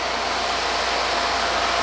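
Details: RealYou no-dilution foam cannon (soap tank on top, under $20) spraying undiluted Adam's Mega Foam: steady, even hiss with no sputtering, surging or gaps; huge foam output, about 25 ml left, normal spray.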